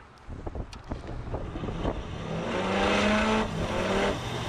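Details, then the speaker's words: Draft inducer motor on an old Armstrong rooftop packaged heating unit, run with the pressure switch hose off: rough, wavering hum rising in uneven steps and slow coast-down; likely worn front bearing, nearest the heat. "like she's got about three speed transmission they're usually always seems to be that freaking front bearing alright because it's closer to the heat"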